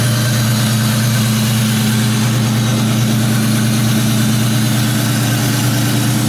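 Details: 2004 Mustang GT V8 just fitted with an Airaid intake; steady, even deep low burble at idle with no knocks, misses or hunting, healthy.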